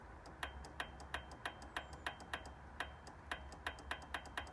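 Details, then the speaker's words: Royal Enfield Classic 500, ignition on, fuel pump primed: uneven light ticking about four per second from starter relay with no voltage reaching starter and no cranking; faulty starter relay. "half working but no voltage and when i press the starter button nothing at all no voltage"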